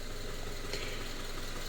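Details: Subaru FB engine, after a no-oil-pressure fault: paper towel from an oil change had clogged the oil pickup; steady, even low purr at idle with no knocking or ticking after an hour of running.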